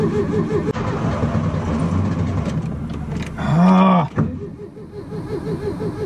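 Repeated cranking with an uneven whirring rhythm and a brief surge that dies off, never settling into a run; hot no-start.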